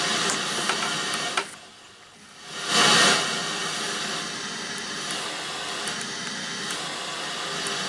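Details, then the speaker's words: Sanyo VTC-MH5 Japanese NTSC Beta Hi-fi video recorder, headphone output into powered speakers at first power-up: steady even hiss with no tone or crackle, untuned FM tuner noise, normal. "seems to work that's FM radio noise"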